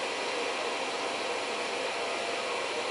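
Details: Reliable Electric 800W pure sine inverter under load at about 585 W, 12 V, 55.9 A: cooling fan just kicked on, giving a steady, even airy rush with no ticking, rubbing or wobble; normal cooling fan running.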